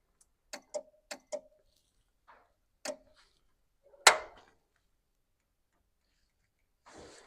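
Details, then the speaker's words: 1929 Model A truck with a replacement engine, being wired and powered up with no fuel supplied: a quick burst of sharp, dry clicks, then scattered single ticks. One of the relays is clicking; the cause is not confirmed. "this was clicking what was clicking uh one of these relays here was"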